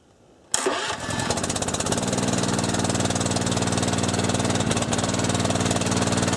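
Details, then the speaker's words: Bushfire pump small engine after carburetor replacement, fuel on, choke on, pump bled, recirculating to supply tank: fires at once and settles into a steady, fast choked idle with no misses or knocks; normal start. "so there's nothing for it now but to start it up and try it"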